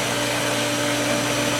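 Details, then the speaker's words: Pool pump motor running with loud steady whir and a high thin squeal on top; bearings audibly screaming but pump still working while priming through the skimmer. "Let's go to the pump. You can hear the bearings in it screaming now, but it's working."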